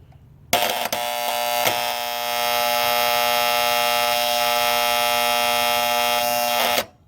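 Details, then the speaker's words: Older heat pump (around 1997) outdoor unit: loud steady electrical buzz for about six seconds then stops; bad contactor, one side of contacts reading 0.01 ohms, the other about 18 megohms. "you can see that we have a heat pump and we have a bad contactor so let me show you exactly what that sounds like"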